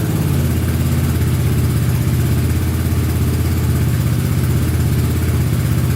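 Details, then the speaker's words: Honda Big Red ATC 200 (200cc) three-wheeler, barn find sat over 6 years, carburetor just reinstalled: low, steady single-cylinder thrum, even beat with no misses or knocks; runs pretty good, normal running. "Oh yeah, sounds pretty good. A little bit more gas in it, see what happens. I'd say she runs pretty good."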